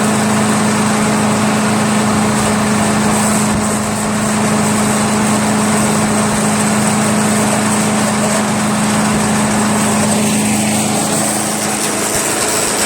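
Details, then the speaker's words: Craftsman chipper shredder flathead engine, restarted to confirm it works after head removal, carbon cleanup and a 320-grit sandpaper valve-seat job, idles with a smooth, even hum and no misses or rattles; normal idle. "I am over the moon guys there's no way I thought that thing would start I'm amazed I'm really amazed that that thing worked"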